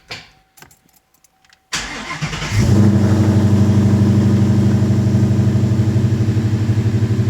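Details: Coyote-swapped Foxbody Mustang with 2018 intake manifold, AED tune, Roush intake, BBK longtubes and pump gas: a quick crank, clean catch, then a steady lopey V8 idle at about three pulses a second. Healthy start and idle.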